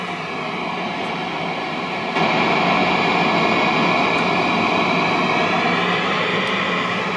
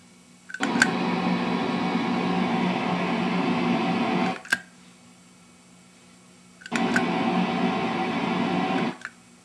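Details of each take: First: Hughes & Kettner Switchblade 50-watt amp with ISP Decimator G-String pedal, noise gate off: steady hiss jumps noticeably louder when the effects loop is switched on in series, adding background noise; effects loop increases noise. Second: Hughes & Kettner 50 W Switchblade amp, effects loop on in series, slightly louder, ISP Decimator G-string threshold set high: hiss swells then cuts cleanly to near silence as the gate clamps; pedal working as it should.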